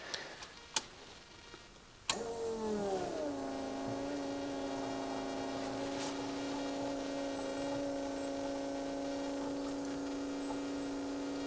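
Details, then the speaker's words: 1967 Lotus Elan +2 parked four years, ignition on after work at the injector rail: click then a steady, even fuel pump whine, running continuously via the return line; gurgling has stopped, normal operation. "they're still googling away quite morally isn't it i suppose it's uh most of the return line it's got a return line so it's never going to stop is it but it doesn't sound like it's filling anything up at the minute no gurgling has stopped good"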